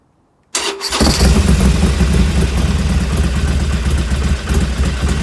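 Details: 2020 Iron 1200 V-twin, 6000 km, warmed up: lumpy idle with uneven mechanical clatter that persists after warm-up; abnormal engine noise, cause unknown.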